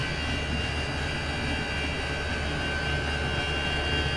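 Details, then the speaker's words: Chinese diesel air heater turned up to setting 6, exhaust heating a bucket of water: runs a little faster, steady even jet-like roar with constant high whistle, no surging or knocking; running smoothly. "Just turn the heater up now to setting 6. You can hear it running a little bit faster, just to see what we can get out of this"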